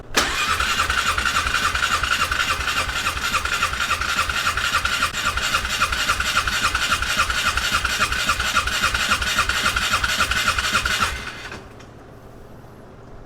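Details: 1997 or 1998 Polaris Sportsman 500 ATV, gas on, choke on: steady starter churning about three and a half pulses a second for eleven seconds, never catches; cranks but won't start.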